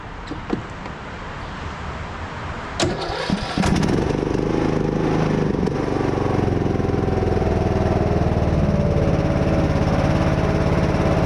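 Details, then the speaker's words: Craftsman T110 riding mower just after a tune-up with new oil, spark plug, air filter and blades: a few seconds of cranking, then it fires and settles into a steady, even run with no misses or knocks; normal start. "sounds good so far let's see what these blades are gonna do"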